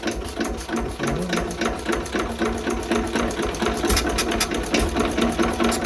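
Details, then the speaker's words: 1920s Renée stationary single-cylinder engine, not run for years: quick, even chuffing at steady speed; owner suspects it runs only on starting spray, not petrol; it later stopped, losing compression. "À mon avis, il ne tourne pas l'essence. Il tourne que sur le Star Pilot."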